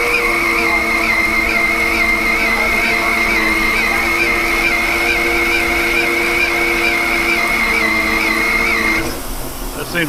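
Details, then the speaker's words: Large lathe machining a 10-inch vertical gearbox output shaft of 4140 heat-treated steel: steady high-pitched hum over the machine for nine seconds, then drops away; lathe loaded hard by a heavy cut before the operator backs off. "we're loading the machine pretty good here I'm up back off on that bead sounds there just sounds like it's really loading up today"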